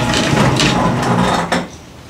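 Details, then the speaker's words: Garage door rattling continuously as it travels, easing off when it stops, recorded before installing the green hinge system at 20°F in Washington; loose rattling door hardware suspected, not confirmed. "I want you to listen to How the garage is listen for rattles the sound and I'm going to do a comparison later on after we install it on what's the difference"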